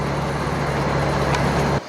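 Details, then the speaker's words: 2005 Chevy Astro van after overheating repairs with new radiator, 170° thermostat and replacement fan clutch (third): steady engine drone with only mild fan hum, no fan-clutch roar; normal fan clutch operation, temperature still slightly high. "so now it sounds like it's supposed to sound now you can't hear that thing hardly at all"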